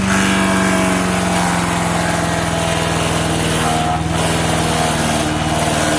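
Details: MTD 5 hp single-cylinder chipper/shredder, owner guesses 1990s-built, running after carburetor kit fitted: steady drone sags briefly twice as the load bites, then recovers speed each time; healthy engine, normal running under load.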